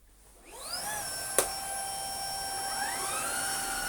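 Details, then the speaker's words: Shark IC160 DuoClean cordless vacuum after refurbishment and epoxy repair, no longer making its former horrific noise; filter washed, hose fitted. Motor spins up to a clean, steady high whine with no rattle or grinding. Normal running. "we'll turn it on and show you what it should sound like well you should know what it should sound like it should sound like a shark"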